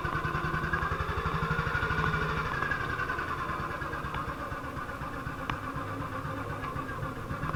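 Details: 1958 BSA C12 single on a road test after its misfire was fixed: it thumps at about four beats a second, even with no skips or misses. It sounds healthy, like it used to.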